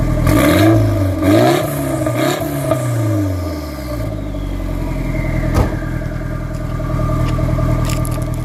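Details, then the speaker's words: Nissan S14 after new exhaust gaskets and rewelded joints, leak fixed: a few clean blips rising and falling smoothly, then an even idle with no puffing or ticking; normal sealed exhaust note. "So yeah, I fixed up all the welds, fixed up everything. And yeah, now the car's good. Sounds good."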